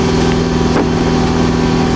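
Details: Neglected GSX car after charging problem fixed, idling with ABS and check engine lights still on: steady smooth even idle hum, no misses or knocks; runs cleanly, charging now fine.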